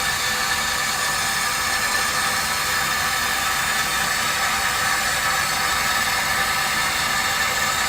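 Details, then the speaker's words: Poly SM15 water meter under full flow, about 74 dB on max hold: steady hiss with a faint high whir from moving parts, nothing irregular; normal running meter noise. "yeah we get about a 74 on that one"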